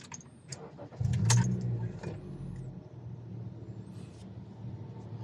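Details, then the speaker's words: 2018 Honda City after replacing the engine supports: starts and settles to a low, smooth, even idle. Before, strong vibration came through the steering wheel and engine noise filled the cabin. "guys So sa ngayon napakaganda na tahimik na tahimik na y so nung una Napakalakas ng vibration dito tapos yung andar ng makina damdam talaga dito sa loob napakalakas"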